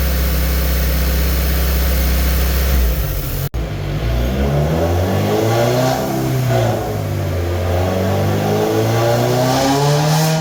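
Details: Warm engine on a dyno day, idle spraying for a vacuum leak: rpm hunting up and down every couple of seconds instead of holding steady; vacuum leak at the throttle body shaft, where spraying makes the idle drop or stop surging.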